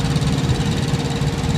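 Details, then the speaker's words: 2014 Kenworth T660 APU running with the truck's main engine off, supplying cab heating and cooling: a small diesel chugging at a steady, even pulse with a low hum and no knocks or misses; it sounds healthy. "uh that's my Apu that regulates the temperature for the truck hot and cold so I don't have to idle the truck so that noise you're hearing right now is the used truck is actually off"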